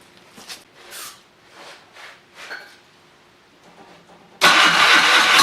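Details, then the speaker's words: Sno Jet snowmobile two-stroke, now key-start with a new fuel line and filter, running off its own tank: a few faint knocks, then it catches and runs strong and steady with no misses; throttle works. "throttle works good yeah it's a runner all right let's get this thing fired up"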